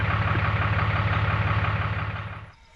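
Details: Cummins 6.7L diesel idling steadily and evenly after an oil, air and fuel filter change, with no stumble or misses, then winding down at key-off; a fuel leak from the loosened fuel filter drain knob has been fixed by retightening it.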